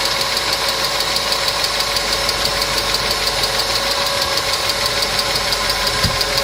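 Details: Engine hydraulic lifters (compensators) ticking: light, fast tapping about three ticks per second over a steady idle; client complained of engine noise, treated with a TOPLIVODAR additive (repeat dose after 500 km advised), after which the noise was reported eliminated.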